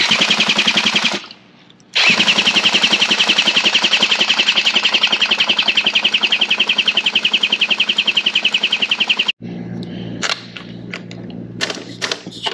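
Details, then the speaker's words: Small engine from an auction mystery pallet, throttle set to start with fuel added: rapid, even cranking at about three or four strokes a second but it never fires; fuel is confirmed, and the owner suspects too much fuel. "okay let's put the throttle on start I didn't do that or uh some more fuel down there [Music] she doesn't want to fire now let's start"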